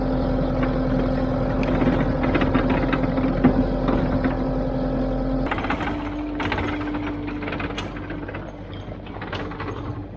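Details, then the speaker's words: Takeuchi TL8 skid steer tracked undercarriage after mowing, front track loosening. Heavy diesel drone with rough, irregular grinding and knocking as the track turns. Front idler roller bearing worn or broken, replaced with a new roller. "Alright, so you can definitely hear that the thing is making a lot of excessive grinding noise. So let's go ahead and pull this track off and see if we can see an obvious issue with that front idler."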